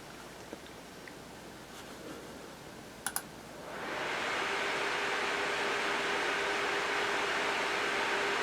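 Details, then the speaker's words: Sager NP8640 / Clevo P640RE laptop, fans set to maximum: quiet room, then steady, even rushing hiss with faint hum; healthy cooling fans at full speed. "so first what we'll do is we'll set maximum fans just so you can hear what it's like"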